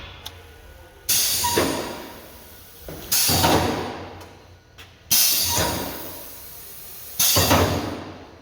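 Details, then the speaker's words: Ryko car wash on-board dryer after swapping a good relay into the air switch solenoid position: a sharp clack and rush of air about every two seconds, evenly spaced as the flaps alternate; normal nozzle oscillation, new relay fixed it. "nice so I needed a new relay problem solved"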